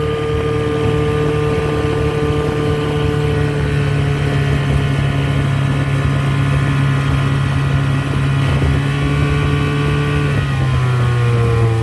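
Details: 1985 Mercury 35 hp outboard test run under load after carburetor rebuild and adjustments; strong steady drone, pitch climbing smoothly and holding at cruise, no stumbles or misfires; pulls cleanly.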